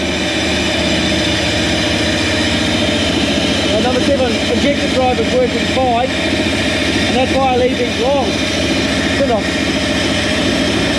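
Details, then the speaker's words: Toyota 1UZ-FE V8 swapped into a Land Cruiser, steady idle with faint uneven stumble, one cylinder (number seven) dropping out. Coil swap and injector driver tests fine; owner suspects faulty spark plug or in-cylinder fault, unconfirmed. "donc il se résume à une bougie d'allumage défectueuse dans le cylindre, quelque chose dans le cylindre sera mauvais"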